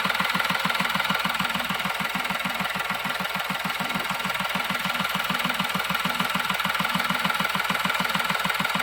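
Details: Diesel with an intermittent no-start/stalling fault (codes P0087, P0251), after repair: even clatter at about 200 beats a minute, steady with no stumble or dying; stable idle, previous stall within 5–10 seconds gone.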